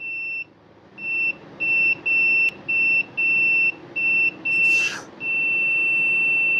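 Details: Husqvarna 150BT backpack blower that won't shut off at the switch: the continuity meter beep cuts in and out in short bursts as the switch wire is flexed near the handle; the copper is broken inside the insulation, likely from bending.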